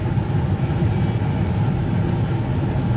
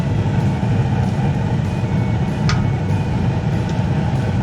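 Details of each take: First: Two-stage gas furnace with the manifold pressure being turned down to about 2.0–1.8 in. w.c. (later set to 3.4): a steady, soft burner roar growing quieter, with no flutter. The flame is weak from low gas manifold pressure. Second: Two-stage gas furnace on high stage with manifold pressure set to 3.4 in. w.c.: a steady, even, low burner roar with no surging or pulsing. High-stage burner operation is normal.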